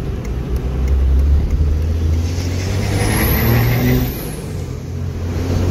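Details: 12-valve Cummins hotshot truck, exhaust brake newly made to work after a week of effort, possible exhaust leak: deep, throaty drone stepping down in pitch as the truck slows. Exhaust brake working.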